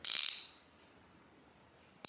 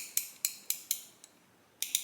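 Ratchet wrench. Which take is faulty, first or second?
first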